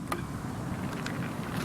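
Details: Electric farm rover, reanimated, on the fast rabbit speed setting after running slowly in tortoise mode: a steady low motor hum with light mechanical rattle as the drive runs smoothly at higher speed.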